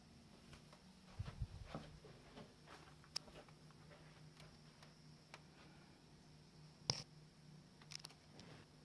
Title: Sony Bravia TV clicking noise